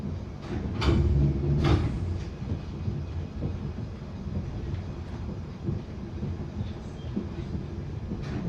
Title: Bakerloo line 1972 stock Continuous popping sound after departing Stonebridge Park September 2022